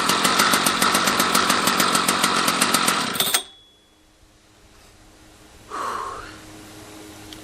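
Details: Husqvarna 281/288 chainsaw: no spark until a new ignition coil was fitted, fresh gas, new pull cord, started with decompressor. Fires and runs with a crisp, steady buzz around three and a half pulses per second before shutting off; healthy two-stroke running.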